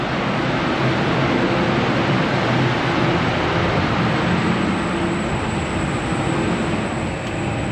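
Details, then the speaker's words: Newly installed spray booth fan running during its first job, far quieter than the old single-phase booth. Smooth, steady rush of air with no rattles, rubbing or pulsing: normal fan operation. "It's a few additions compared to my old booth, but sound of that is way quieter than my than my single phase one that I had."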